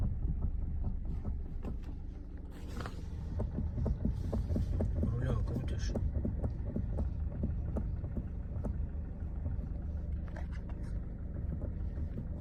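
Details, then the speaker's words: Lada Granta FL at standstill, heard only inside the cabin, new noise: dull low knocks about twice a second over a steady idle hum while turning the steering wheel; steering or suspension knock. "Ты на месте стоишь. Раньше такого вроде не было. Именно тут в салоне слышно только."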